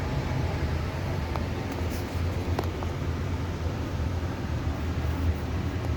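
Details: Amana 95 IIQ two-stage variable-speed gas furnace after burner shutdown: quiet steady low hum, no burner roar, as the blower coasts on cooling the heat exchanger and slowly, smoothly turns off; normal run-on.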